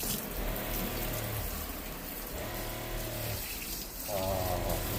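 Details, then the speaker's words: Ford Transit camper van conversion faucet during water testing, hot and cold both working: steady rush of water with a brief flow change partway, no sputter or hammering; normal flow. "I did the water testing. Hot and cold water works great."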